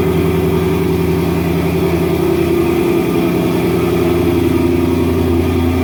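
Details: Ford Mustang GT RTR Spec5 widebody, E85-friendly headers with stock catback, cold start: loud deep V8 burble at fast cold idle, steady and even with throaty exhaust; normal cold start.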